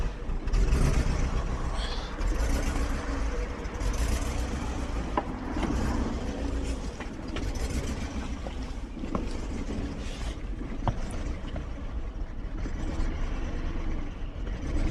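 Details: 2001 BMW 740iL V8 cold start after sitting about 10 days at -10 to -25 degrees: misfire, shaking, uneven stumbling idle with revs surging and sagging; caused by moisture in the fuel.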